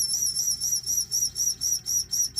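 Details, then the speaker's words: Magnavox CD-i 450 after optical pickup replacement, booting a disc: loud high squeal rising and falling about four times a second as the disc spins up; laser sledge suspected to need grease. "Well, I was going to say we're in business, but holy crap, that sounds horrible. Wow. I might have to grease this thing up a little bit."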